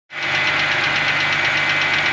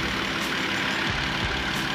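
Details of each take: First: Wrecked BMW 325i E90 rebuild started after sitting, jump-started, cold. Quick, steady, even light metallic ticking keeping time with idle, not a deep knock; owner suspects ticking because it's cold. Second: Wrecked BMW 325i E90 that sat a while, cylinder 3 coil code, coil replaced: after a restart, a steady, even idle with a smooth low rumble and no ticking. Owner expects the ticking may return and says the coils need replacing.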